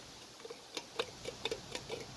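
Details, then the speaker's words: Camaro heater blower motor, removed, turning slowly: uneven dry ticks a few times a second. It is unbalanced from a missing fin and has a blown-out, worn bearing. "So I don't know if you can see what's going on here, but we've got a little bit of bearing blowout."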